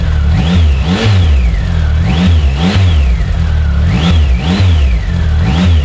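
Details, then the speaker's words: Triumph Speed Triple 1050 S with stock factory silencers, before fitting SP Engineering exhausts: crisp triple blips rising and falling cleanly about once a second from a steady idle, no knocks or rattles; normal revving, healthy engine. "I'm going to be firing this up in a moment so you can hear what the stock exhaust sound like, and then I'm going to be testing this with the baffle in and with the baffle out."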